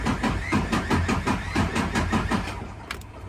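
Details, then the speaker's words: 2019 Freightliner Cascadia DD15, cylinder head replaced two months earlier, towed in after a knocking noise at startup: compression-test cranking is lopsided with one weak stroke; cylinder 1 has zero compression. "Woo, that is not good. We got 0 compression in the cylinder number 1."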